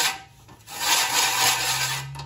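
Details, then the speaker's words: Push reel mower during backlapping with grinding compound, test run: loud steady rasping grind about two seconds as the reel spins, showing the reel still contacts the bedknife; if grinding subsides the blade might need readjusting up. "we want to hear a lot of loud noises so we do want to hear that grinding noise if the grounding noise sounds like it subsided it could actually be that we've done just enough sharpening to create a new gap between the cutting edge that that flat blade and the rotating blade"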